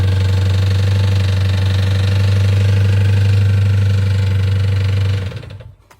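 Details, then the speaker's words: 2014 Jeep Grand Cherokee SRT 6.4L 392 Hemi, running rough since a burnout: a rapid, even knock of about four per second under the V8 rumble, then it stalls; bottom-end knock. "So this vehicle right now does run, but it's kind of running with a weird noise in the bottom end of the engine."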